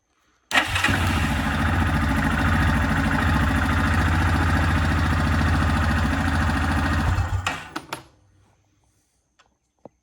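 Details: Yamaha Kodiak/Grizzly 450 ATV after fuel pump replacement, system primed by key cycling: engine catches at once and runs an even, steady thump for about seven seconds before shutting off; starts and runs healthy.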